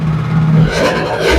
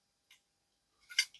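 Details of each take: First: Vespa LX 50cc two-stroke engine, cold, just after full overhaul and reinstall: started right away, crisp even idle with a small throttle blip, earlier odd rattling gone, no knock; healthy. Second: Worn crankshaft from a Vespa LX 50cc engine, turned by hand: light, uneven metallic clicks and rattling from play in worn bearings, unlike the new crankshaft, which has no rattle.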